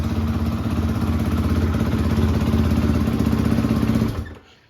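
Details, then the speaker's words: Rebuilt 2013 Yamaha YZ450F with a replacement head for the cracked original, electric start. Single-cylinder thumps at a quick, even beat after a push-button start, then cuts off cleanly: normal start and idle. "No trying to kickstart it and having issues. So you just push the button and start."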